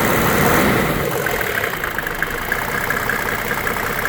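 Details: 1995 Mercedes E300 diesel (W124), heard under the open hood: an even diesel clatter at a steady idle with no misses or odd knocks. The engine sounds healthy.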